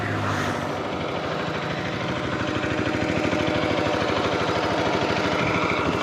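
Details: Bajaj Pulsar RS200 engine: steady rough beat pulsing about twice a second with gritty mechanical rattle on top; owner suspects clutch plate or chain, source unconfirmed.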